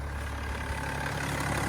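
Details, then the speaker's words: Land Rover Defender 110 converted to a BMW engine with an automatic gearbox: a low, even, whisper-quiet idle with no knocks, misses or surges; smooth and well balanced. "these engines are so nicely balanced whisper smooth and quiet it doesn't even look like it's running they're so refined and perfect for these cars"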